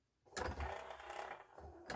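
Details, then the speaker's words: Yamaha CDC-625 5-disc CD changer from a thrift store, before service: short bursts of whirring and ratcheting clatter as the carousel searches all five empty slots; rough, noisy mechanism with sticky residue and hair inside. "So it's going to search all 5 empty slots here."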